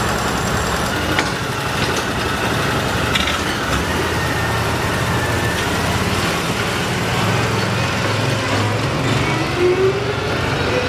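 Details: Argo ATV engine running with decent power: heavy, dull knock under a rough, busy running noise, earlier wrongly blamed on clutch springs; worn crankshaft main bearings, engine to be replaced.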